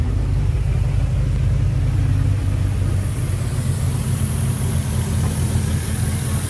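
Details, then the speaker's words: 2006 Ford F-150 5.4L 3V Triton with a remanufactured engine, almost 300,000 miles on the truck, codes P2195/P2197 stuck lean. At hot idle it is uneven, lumpy, shaking and laboring, with a faint high hiss: a large vacuum leak running it lean. "okay so classic signs of a large vacuum leak engines laboring especially at idle especially at a hot idle and we hear a hissing noise"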